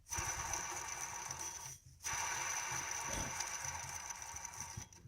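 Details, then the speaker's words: Idler pulley from vehicle with leaking water pump and failing fan clutch, belt off, spun by hand: gritty rolling rasp like skateboard wheels instead of a quiet glide, idler bearing rough and worn. "supposed to sound like a skateboard supposed to glide"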